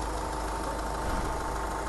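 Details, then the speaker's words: 2014 Hyundai Grand Starex 4WD D4CB 2.5 diesel Euro 5, 129,000 km, idling quietly and evenly with no knock after engine rebuild for a knocking fault. "собираем двигатель установили все работает как сушить и тихо не стучит человека сейчас после замены"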